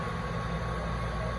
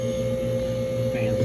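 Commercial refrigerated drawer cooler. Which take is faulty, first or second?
second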